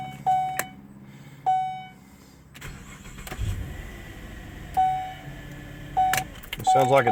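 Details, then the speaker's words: 2007 GMC Acadia right after starter replacement from below: between chimes the engine cranks briskly and evenly, no clicking or grinding. The new starter sounds strong and healthy. "cranking over really good and strong"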